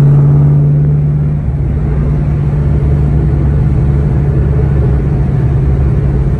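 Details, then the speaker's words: 2003-2004 SVT Cobra T56 with aftermarket 26-spline input shaft and McLeod RXT clutch: steady low engine drone while driving, smooth with no grinding or whine; shifts fine, since the input-shaft noise only comes from the input and countershaft. "now driving around it's completely unaffected the car shifts just fine and that should be because the gears are all farther back in the transmission"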